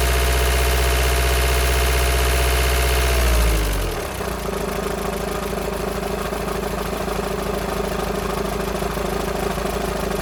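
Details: VW Sharan 2.0 TDI CFFB common-rail diesel, first start after new timing belt, injectors out and fuel system drained, unbled: rough start settling to idle with a steady fast ticking rattle; owner suspects a bad tensioner pulley, not the engine.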